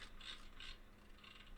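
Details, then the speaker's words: Nissan Titan HVAC control panel, engine running, reassembled dial rings: blend door/AC control dial steps through crisp even detent clicks, switch healthy; fault was blower regulator and a worn HVAC door actuator clunking under dash. "You can see it click, click, click, click, click, click. Yeah, those ones are fine."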